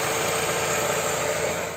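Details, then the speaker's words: Engine at idle with a significant vacuum leak. A loud, steady hiss of air being sucked into the intake is audible by ear over the quiet idle. "Estas fugas de aire son tan significativas que prácticamente se pueden oír con los propios oídos. Como oímos, se oye un silbido."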